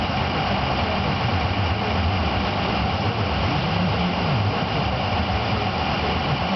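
Diesel idle keeps hunting, its low drone wandering up and down instead of holding steady, pointing to a bad ICP sensor.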